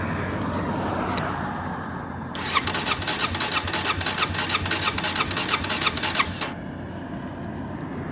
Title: Wont start